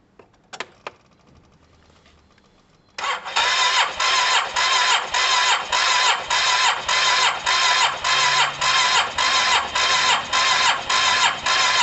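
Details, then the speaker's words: Yamaha TMAX scooter cranked with the spark plug out and grounded against metal to check for spark: even compression pulses about twice a second, never fires. No spark was seen; another earth point may be needed. Crank, no start, cause unconfirmed. "So I'm going to tick it over and we'll see if there's any spark."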